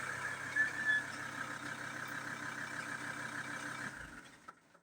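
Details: 2007 Ford Transit Mk7 2.2 common-rail turbo diesel with an ongoing stalling problem: steady, even diesel clatter with no misses or knocks for about four seconds, then fading down; it is running at this moment.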